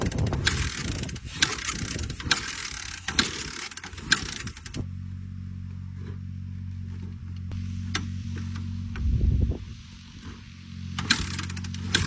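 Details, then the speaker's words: 1985 Honda Forrax 250 fitted with the carburetor from the owner's '86: repeated kicks turn the single over softly with only a couple of weak pops and no start, seemingly low on compression. "Well, maybe that thing won't run. It almost popped a couple times, but it almost seems low on compression."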